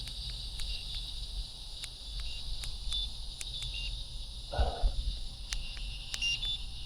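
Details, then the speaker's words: Motorguide Xi3 GPS 70 lb trolling motor with 54-inch shaft: high electronic feature beeps over crickets and traffic, then a brief low whir as the prop starts; the controls and motor respond normally. "You will hear beeps, like I'm going to turn a feature on, you'll hear an up burp. I'm going to start up the prop 3 times and turn it on."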